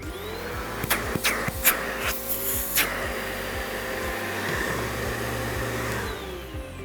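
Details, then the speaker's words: Riccar Spirit vacuum checked for a clog after the full-bag light came on: hose tested alone gives a few clicks then a steady strong motor roar, no whistle; light off, good suction, so the hose is clear. "notice there's no light on there's good suction in the hose so I know the problem's not in the hose"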